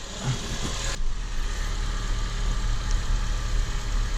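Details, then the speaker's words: 2003-2007 Honda Accord after topping up power steering fluid (pump had been running dry, whining on cold starts): smooth steady idle, whine gone, pump now quiet; fluid still bubbling. "that fixed it i don't hear the oh i don't have the wine anymore guys i think i fixed it yeah guys i think i fixed it i don't hear the wine nope i don't hear it"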